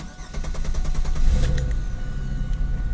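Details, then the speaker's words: 2000 Camaro 3.8 V6, restarted after the new starter went in (fixing slow crank when hot). Quick, even cranking at about three chugs a second, catching within a second into a steady run; a healthy start. "there we go that sounds good that's starting good nice"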